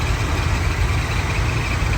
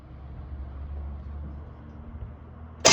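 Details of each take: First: 1979 Buick Regal V8 after tune-up, started after earlier backfiring on crank: steady, even idle with a smooth low rumble and no misses or stumbles; running right. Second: 1979 Buick Regal after tune-up with new spark plugs and plug wires; engine catches and runs about four seconds with lumpy, surging, uneven beat then quits, followed by a backfire; owner plans to rewire the plug wires.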